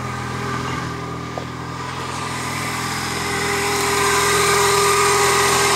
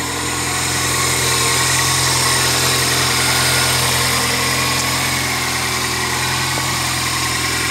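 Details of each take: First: 1999 Toyota Corolla 1.8, engine still cold, idling then in gear: steady knock about four times a second, more knock-like at lower engine speed, stopping when the wheels turn; power steering pump pulley knocking. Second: 1999 Toyota Corolla 1.8 just started after replacing the power steering pump pulley: steady, even idle with a smooth hum and no whine, squeal or knock; engine sounds healthy after repair.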